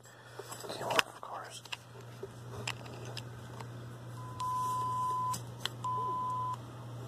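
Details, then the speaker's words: LCR meter measuring a transformer winding, about 57-58 microhenries; clean 1 kHz test-signal beeps about a second long heard through connected speaker; normal LCR meter test tone. "you can hear the thing beeping because it's running a killheart signal into it to measure it"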